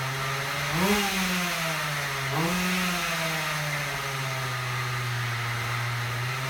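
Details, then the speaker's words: Husqvarna 36 chainsaw, running after repair: small two-stroke revs up twice then settles to steady buzzing idle; low-speed mixture needle must be opened far, owner suspects timing is early. "so you can hear it runs I'm thinking probably has it early that's why I'm having to open that low up so much"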